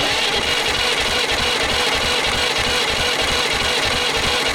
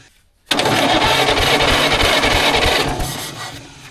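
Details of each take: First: Pony starting engine of a 1940s Caterpillar D8 dozer unmoved for decades, cranked with ether: steady cranking about three turns a second for eleven seconds, never catching; no spark. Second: 1940s Caterpillar D8 dozer's small pony/starting engine, sitting unused for decades: after silence, a sharp popping run of about three firings a second fades out as it catches on ether sprayed in with air cleaner removed; spark confirmed on both cylinders.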